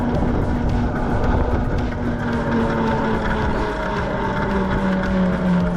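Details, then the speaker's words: Tuttio Soleil 01 e-bike, newly assembled, ridden in eco mode around 13.5 mph: light uneven ticking over motor hum and road noise, a clicking from the front wheel; rider suspects the front wheel isn't fitted properly. "like my front tire isn't on good. It's like clicking."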